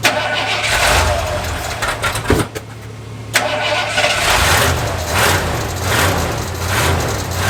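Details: Lifted bullnose Ford carbureted V8 truck, first start after sitting almost 4 years, carburetor just cleaned and rebuilt: cranking, brief stumble, then catches into a lumpy but steady idle with low rhythmic burble; normal start and idle.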